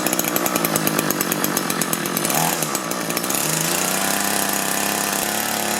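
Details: Echo two-stroke hedge trimmer, engine replaced after being run on straight gas, during carburetor screw adjustment: it buzzes unevenly and surges, won't throttle up cleanly, and adjustment failed to fix it.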